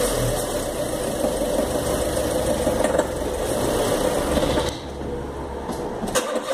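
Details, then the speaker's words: 2013 Fiat Palio Celebration Fire Economy engine, parked with handbrake on and loaded: rough irregular metal-on-metal rattle before stalling, also heard on hills and downshifts; detonation (spark knock) that the mechanic blamed on bad gasoline, treated with a decarbonizing fuel additive. "enfim faz um barulho de Ferro batendo com ferro e eu vou tentar fazer esse barulho com o carro parado com freio de mão puxado"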